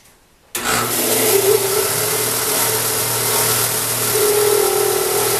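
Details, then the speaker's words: Shop Fox W1676 disc belt sander used for years, with an intermittent noise that has become continuous: a wavering mid-pitched hum-whine swelling and fading as it runs; no bushings, so a worn bearing is being traced for replacement. "almost sounds like a bushing trying to go but there are no bushings on this and there's no grease zerks degrees any bearings"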